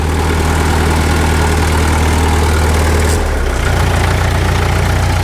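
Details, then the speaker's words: 1951 Caterpillar D2 diesel (5U7968) after first start, fuel pressure building: runs steady and even, then picks up speed smoothly with no knocks or misses; low idle later found shutting off before the detent. Normal running. "sounds good. Sounds really good."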